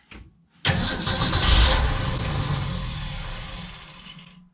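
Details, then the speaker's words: 1965 Ford Econoline van, off the road since 2011, started on gas poured into the carb: cranks, catches and runs rough about four seconds then dies after emptying the float bowl; no fuel coming through the filter from the pump. "I ran off the bowl but there's no fuel coming through the filter"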